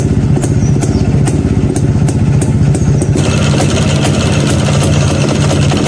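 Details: Neglected Yezdi B Model two-stroke, first start after about nine months parked, after a connection was reattached: crisp rapid popping at idle, fairly regular after settling, with sharp crackle over a low thrum.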